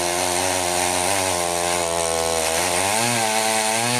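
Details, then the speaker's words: Rebuilt Husqvarna 51 chainsaw after carb tuning (it had seemed a bit rich), cutting a tree: a strong, clean two-stroke buzz that bogs slightly and recovers in the wood. Healthy; owner unsure the bar oiler is delivering enough oil. "running good I need to double check the oiler on that"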